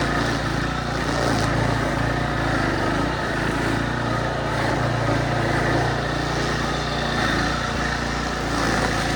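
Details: Craftsman brush mower, early-to-mid 2000s, back from 3 years unused via carburetor rebuild, air filter, spark plug, oil and new strings: steady, even single-cylinder drone holding pace in heavy grass, no misses or surging; healthy under load.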